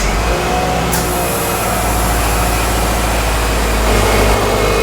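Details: 2010 Subaru Forester EJ25 non-turbo, first start after timing belt and water pump replacement and coolant refill, before bleeding: steady, even idle with a smooth low rumble and no ticking or knocking; normal idle.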